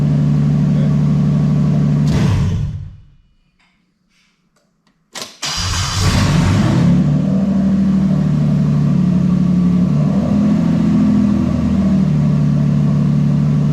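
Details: Toyota 1JZ-GTE VVT-i swapped into Altezza RS200 with plug-and-play harness and J160 gearbox, no fault codes; cranks, catches quickly, steady even idle with brief rev; normal running.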